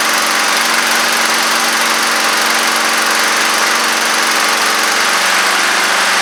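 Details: Honda Harmony II push mower, after tightening leaking carburetor bowl (10 mm): steady even buzz at constant speed, no misses, surging or knocks; running smoothly.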